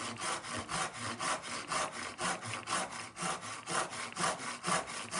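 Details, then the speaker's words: Irwin tenon saw after a fix in oak held in a vice, with some tooth set removed using a Trend diamond plate: even rasping strokes about two a second, a little skipping at the start, then less skipping and quicker cutting. "Still have a bit of skipping until I get the saw started. I It feels better. Definitely less skipping"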